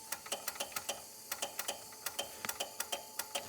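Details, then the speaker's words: 2JZ-swapped Toyota van, engine said to have about 30,000 miles, odd wiring keeps power on with key out: sharp irregular ticking, four to five clicks a second, engine off; suspected bad relay, unconfirmed. "Sounds like a relay almost. Like a bad relay? Yeah."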